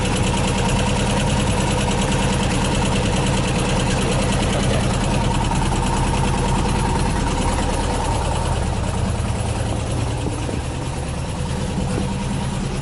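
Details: 1979 VW bus air-cooled flat-four with twin Solex 44 carbs, big heads, Scat 35 cam, 2100 kit, J pipes, oil cooler, years after rebuild and running well: steady even note with deep low rumble, no misses or knocks; normal running.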